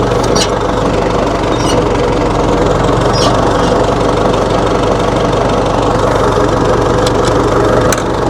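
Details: 1960 Massey Ferguson FE35 4-cylinder diesel tractor, after sitting long in a paddock: loud, steady idle clatter with an even pulse and no misses; running normally again.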